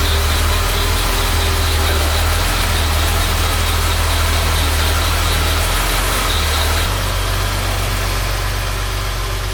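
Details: 1975 Jaguar XJ6 six after head rebuild by machine shop, warming up: steady, even idle with smooth low drone, no knocks, ticks or stumbles; oil pressure about 45-50 psi, engine healthy.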